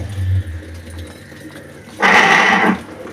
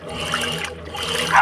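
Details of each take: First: Electrolux washing machine starting a cycle: a low motor hum gives way to a loud harsh grinding burst as it agitates, also loud during spin the day before; owner suspects the mechanism; worn transmission bearing. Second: Electrolux washing machine agitating after replacing a small worn bearing in the mechanism: normal water sloshing with faint motor hum, the loud agitation noise gone.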